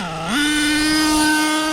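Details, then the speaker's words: HPI Savage X4.6 nitro RC truck with optional 3-speed transmission. Engine rises once to a high steady buzz and holds with no drop; no wheelies, owner thinks it's locked in 2nd or 3rd: stuck in one gear. "Okay, no shift, no shift. Brakes are too crazy. Yeah, it's definitely locked either in 2nd or 3rd gear. No shifts at all."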